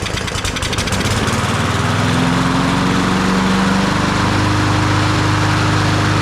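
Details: Troy-Bilt TB200 push mower with a Briggs & Stratton 550E 140cc engine: settles from a ragged pull start into a steady, even drone, normal running.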